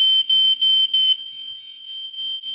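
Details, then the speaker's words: Hardwired, interconnected smoke alarm with battery backup, tested by pressing its button; loud, piercing beeps in about three short bursts, then it falls silent on its own; alarm tests fine. "Yeah. So up here we have a smoke alarm which will be done which we have on different levels of the house. >> Right. which can be tested by pressing this big button there"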